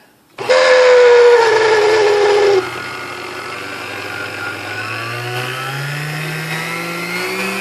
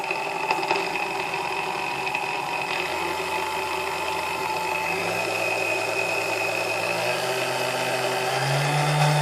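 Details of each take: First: Sunbeam Mixmaster Model 12 vintage mixer before service: whiny tone sags as the motor settles, then steadier run with rising hum; noisy at start, owner suspects dry bushings. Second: Vintage Sunbeam Mixmaster Model 12, lightly used, after service and cleaning (noisy before): motor hum climbs smoothly in pitch as speed is stepped up, no grinding or rattle; runs nice and smooth.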